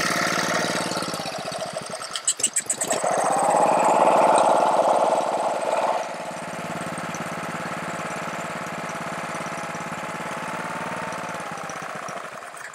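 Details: Honda-powered Ryobi 3100 PSI, 2.5 GPM pressure washer that won't stay running: the engine catches, surges, then idles steadily only with the choke on. This points to a carburetor fault.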